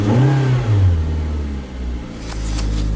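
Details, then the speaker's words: Auction-yard vehicle with 112,000 miles and selectable two-wheel-drive, auto and lock all-wheel-drive modes; engine spins up then settles smoothly, clean deep hum with no knocks or rattles as revs fall; motor sounds healthy, normal running. "so never actually sounds really good in this thing this would be one i'd be interested in for for less than the other two i looked at but it's got 112 thousand miles on a motor sounds healthy"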